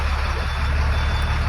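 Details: International DT466 truck's no-crank, no-start is fixed with a new fuse. The 5 A ignition fuse was blown by a customer-installed AC switch and relay. A short, steady low diesel rumble catches normally without stumble or clicking.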